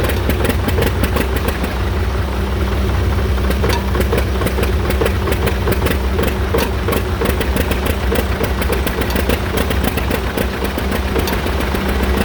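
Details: John Deere Model R tractor big diesel engine at first start after the pony motor was rebuilt, reinstalled and used to start it, following injector work and freeing a sticking fuel rack; even, steady deep beat with no knocks or misses; normal running.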